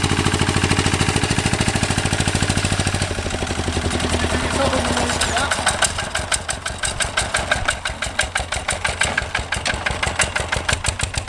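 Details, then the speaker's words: 1966 Lister LD1 single-cylinder diesel on restored auto truck, completely rebuilt, just cold-started on a freezing day using oil in cold-start plunger: slow, regular thumping with crisp injector clatter, no misses or knocks; healthy. "stick the plunger down and then she should start up now a bit cold today we should go it works"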